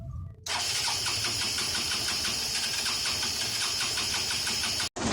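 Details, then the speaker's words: Hero Honda CBZ Xtreme 4-stroke bike at idle: a fast, light metallic clatter ticking with the engine beat, from loose tappet valve clearance, to be fixed by opening the head cover and tightening the valve clearance. "यह जो आवाज है कुछ टकराने की जोड़ी का वास है यह और बेसिकली जो अ टाइट होता है इंटरकोर्स वॉल्ट उसके धीरे होने की होती है"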